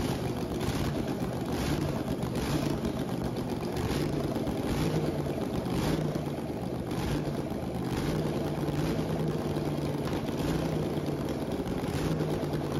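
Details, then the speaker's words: 1969 Pontiac 350 V8 (low compression, mild cam), bought as unknown-condition, on first dyno start-up at Westech: lumpy, uneven loping idle over exhaust drone, at least one dead cylinder; misfire. "runs like this as we can see from our Flames it has at least one bad hole"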